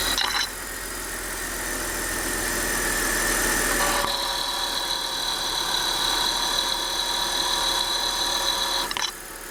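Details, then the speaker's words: 1999 BMW 320i E46, M52 2.0 L inline-six, 5-speed automatic, idle, mic on the pulley via stethoscope: steady high whirring whine with faint quick chirp; worn idler pulley bearing, tensioner louder; tensioner, idler and belt to be replaced. "あとアイドルアプリもちょっと音が出てましたがアイドラプーリーっていうのはまあただ単に単なるフーディですそしてですねえテンショナーとアイドラープーリーと後ベルトをセットにしたものが安く売ってますので今回はそれを購入してね交換しておこうと思います"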